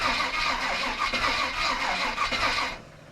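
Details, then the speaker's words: 1955 Willys wagon with 350 engine, first start in a long time after rewiring: starter spins steadily under three seconds with no firing; not picking up fuel, then gasoline seen in filter bowl and carb primed. "It's not picking up fuel. I'm just gonna tap the key and see if this turns over."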